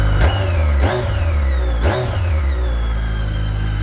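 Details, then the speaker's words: 2010 BMW K1300GT motorcycle at a cold start, brake failure warning still on until ridden: three quick throttle blips rise and fall cleanly over a smooth, even idle with no misses or knocks; sounds strong and healthy. "Sounds good. Strong."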